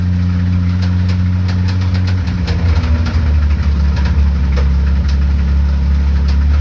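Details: 1976 Datsun 280Z race car pulled into the pit, leaking from the front: deep engine drone with scattered sharp knocks; suspected cold rod knock, cause not confirmed.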